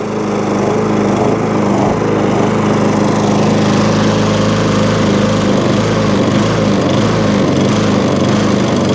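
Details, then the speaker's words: MTD push mower, after the packed foam air filter, too thick and starving it of air, was thinned out. It holds a steady, even idle with no surging or hunting and is breathing properly. "before so it was a proper air filter in there idle's down lovely there was a new air filter in there"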